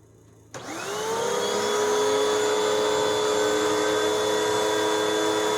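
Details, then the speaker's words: 2013 Hoover WindTunnel 2 bagless vacuum after greasing bearings and fixing brush roll bearings; motor spins up quickly to a steady even whine with no rattle or grinding, much quieter than before, normal running. "oh it sounds nice it's it's much quieter than what it was and this machine is just from 2013."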